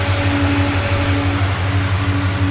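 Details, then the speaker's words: Nissan Patrol GU with an LS1 V8 after fixing an exhaust leak: low, steady, even idle with no manifold puffing or ticking; the power steering pump squeaks and there is water on the pulleys from washing the radiator. "oh idle's nice the power steering's making a bit of a noise and there's a bit of water on the pulleys"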